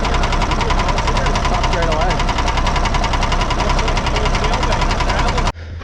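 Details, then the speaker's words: 1979 Kenworth W900A Cummins diesel at idle; steady heavy knock about three a second until shutdown; Cummins technician traces it to cylinder 3, possibly a piston, bottom end ruled out. "He says it could be a piston, could be a few things. It's not in the bottom end, so he's got it apart right now"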